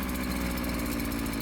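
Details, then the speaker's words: Two-stroke strimmer during carburettor adjustment: idles fast and buzzy with a slight uneven flutter because the idle screw is set too far; it needs the sweet spot. "too far the other way, it flutters a bit. You want it in that make sweet spot there."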